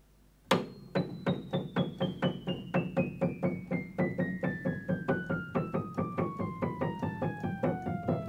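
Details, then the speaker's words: Kioshi Gen-1 digital piano after lowering the sensor rail bracket by four half turns: descending run of notes at equal loudness, no double tones; even key response. "do evenly very evenly every key is now at the same loudness no double tones anymore"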